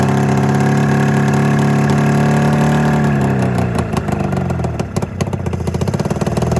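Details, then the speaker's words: 27-year-old Arctic Cat Mountain Cat snowmobile, two-stroke twin, new plug and replaced ignition coil, owner suspects fuel delivery: lumpy uneven idle breaking into ragged rev, still firing on only one cylinder; misfire. "yeah it's it's still only firing on one cylinder"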